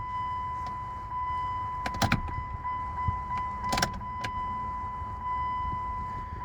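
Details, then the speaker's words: 2000 Chrysler Sebring after installing a new fuel pump and filter. A steady thin whine holds for several seconds with a few clicks over it; the new pump primes cleanly with no strain. "Prime it a few times here. I hear it back there. I'll prime her a few more times."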